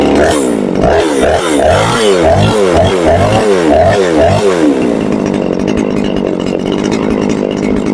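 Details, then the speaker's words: Chinese Procraft chainsaw with heavy white exhaust smoke, running fine at first then rough once warm and stalling: engine surges and sags about three times a second, then ragged uneven running; diagnosed as the saw flooding, cause of flooding unknown. "Я думав, майстри вже догадалися, в чому проблема, по характерному білому такому вихлопу і троліт дуже сильно. Спочатку ніби добре починаєш газувати, нагріється і починає троліти."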